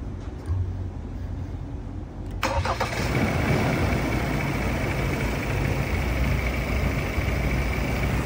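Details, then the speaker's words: Ford Ranger Raptor 2.0 diesel after engine rebuild for a worn main bearing that caused noise: short crank, fires promptly, settles into a steady, even, quiet idle with no knock or rattle and the earlier noise gone; normal start and idle. "ayan, ayos na, okay na. Tahimik na yung andar ng makina niya. So kahit pakinggan mo or lalo na sa actual, pagka pinakinggan mo siya, smooth na yung andar niya."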